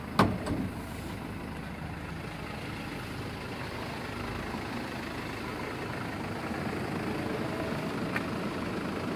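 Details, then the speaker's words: 2016 Mercedes Sprinter 316, 163 hp diesel: a door thud, then a soft, even idle with no knock or rough beat. The seller notes it runs evenly but says that proves little. Normal idle. "Двигатель работает ровно. Но это не показатель."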